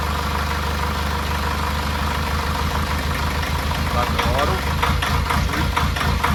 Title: Rough idle/smooth 800rpm